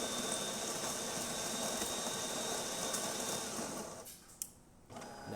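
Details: DeLonghi Magnifica XS espresso machine after service including mechanic valve replacement, grinding beans for a double: steady, even whirring with a constant high hum for four seconds, then cuts off cleanly; grinder running normally.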